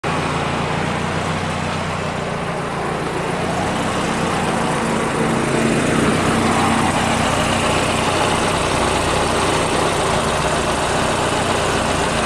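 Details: Idle with a fast, raspy puffing chuff on the exhaust note from a leak at the HKS GRF exhaust manifold.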